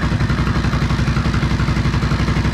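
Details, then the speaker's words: 2011 Honda XR650L on first start after sitting 1.5–2 years with the top end apart: a steady single-cylinder thump with light decompression clatter, normal; a tapping, suspected valve clearance, appeared later. "ah sounds great perfect you can hear that decompression oh listen to that noise that's normal my bike actually does the same darn thing"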